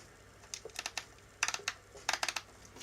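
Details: Nikon Zf, second-hand with only 490 actuations, painted brass top dials, Tamron 28-75 lens fitted: crisp light clicks in quick runs of four or five as dials turn, even and firm; normal dial detents.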